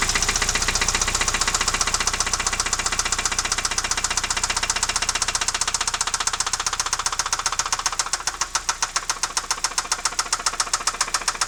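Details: Alfa Romeo 156 engine, loud ringing knock that began at 120 km/h in 5th gear on the highway, restarted in the garage after towing, idling: sharp metallic knocks nearly four per second; cause unknown, owner doubts cam phaser; mic understates loudness.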